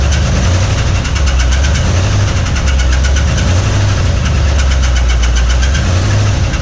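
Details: 1961 Mercury Meteor first start in decades after new ignition parts: rough idle with a sharp regular knock over the rumble; oil pressure light stays on, no oil pressure, bearings starved of oil.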